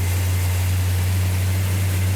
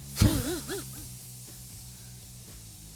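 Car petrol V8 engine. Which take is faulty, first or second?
second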